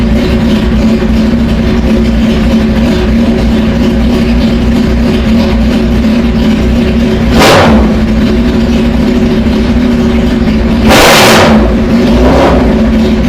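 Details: Motorcycle with fairings off after routine maintenance: steady, even idle with two quick, crisp throttle blips rising and falling cleanly, snappier than before; normal idle and revving.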